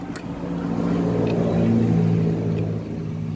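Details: Honda Wave 110i that would not start, despite normal spark at the plug, now runs after the faulty spark plug cap was swapped for a spare. Small single-cylinder engine revs up smoothly, holds, settles back, firing evenly with no misses.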